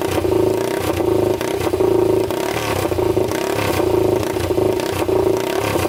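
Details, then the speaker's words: 1999 Honda 400EX quad, freshly rebuilt engine (new piston, rings) during break-in warm-up with throttle blips: loud steady single-cylinder thump rising cleanly with throttle, no knocking or rattle, no smoke seen; runs really good, normal running. "while we're doing that we're gonna put everything back on it seems to run really good"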